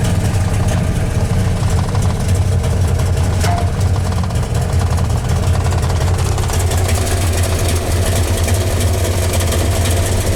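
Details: 1993 Dodge Dakota 318 V8 after NV3500 manual swap, third start this week: deep, uneven idle thrum that wavers and stumbles, with shaking and a backfire; cause unknown.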